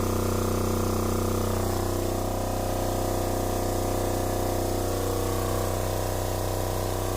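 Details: Newly installed Fischer Panda genset in a Tiara 34 boat, replacing the original generator locked up by water intrusion, first run: steady, even hum with a constant pitch and no knocks or surging; running smoothly.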